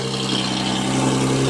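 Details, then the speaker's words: Audi S4 idling in neutral, car with clutch/throw-out bearing noise and worn valve cover gaskets, coils and plugs: raw hissy puffing from an exhaust leak underneath, probably at the flex pipe. "an exhaust leak down here I can hear that clear as day so I have to deal with that that's probably where the flex pipe is"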